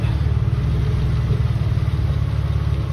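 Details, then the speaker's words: Mitsubishi 3000GT VR4 new engine after injector fix: steady even low idle on all six cylinders, no misses, knocks or ticks; engine sounds healthy. "3 times lucky. No odd noises or anything of this kind. Engine sounds pretty good."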